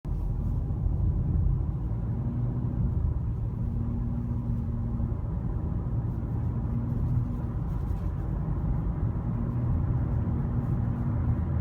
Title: 2017 Civic EX humming sound at around 1800 rpm